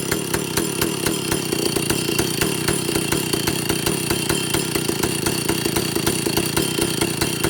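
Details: Vintage Stihl chainsaw, second test run after air leaks fixed, initial carb settings high 3/4–1 turn, low 7/8–1 turn, idle target 1,800 RPM, top no more than 10,000. Fast even crackle that tops out early, never a full scream; owner suspects carburetor third circuit.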